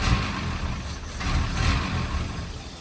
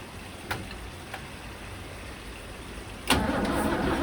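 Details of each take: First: 1963 Mercedes W111 with mechanical injection pump after cleaning the injectors and distribution block: deep, steady engine note swelling with throttle blips, running evenly without misfire or stumble. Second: 1963 Mercedes W111 with mechanical injection pump, injectors ultrasonically cleaned and refitted, cold-start not connected; steady starter churn about three beats a second with no catch; crank no start.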